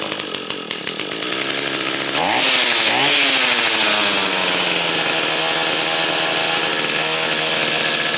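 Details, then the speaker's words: Echo SRM-225 string trimmer with intermittent spark: pull-start rattles, then the two-stroke catches and holds a steady high buzz only with the on-off switch disconnected; switch suspected bad. "I got the on-off switch disconnected. And it's in the on position. So this switch is either bad or there's something wrong with it."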